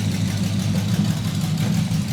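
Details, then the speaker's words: Custom hot rod with exotic dual carburetors on first fresh start, cranking slow, exhaust not fully fitted, needs tuning: deep, steady, even idle rumble with no misses or knocks; it settles right down to a smooth idle. "It lays right down to idle and just purr smooth."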